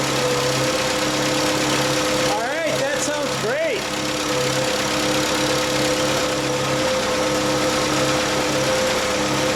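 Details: Bobcat 632 engine after rebuild with new piston and rings, exhaust refitted: steady, even idle, smooth continuous hum with no ticking, puffing or misfire; running healthy.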